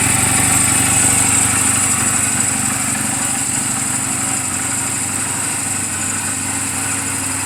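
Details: Reference sound of a healthy 2007 Honda Rebel 250 and its valves, idling in neutral just after an oil change and valve clearance adjustment; steady putter about three beats a second, no knocks or misses. Mechanically sound, only cosmetic flaws. Normal idle.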